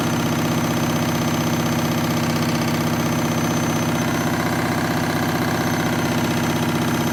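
Loud constant rumble with a thumping pulse about twice a second throughout the spin; a noisy spin, cause unclear.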